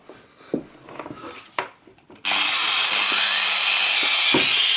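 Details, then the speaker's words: Chinese angle grinder that worked intermittently then cut out, run after the fix: handling clicks, then a high, steady whine with even brush hiss. The brushes were fine and the cause was a loose wire not plugged on, now normal running. "yeah, that's fine. Okay, easy fix."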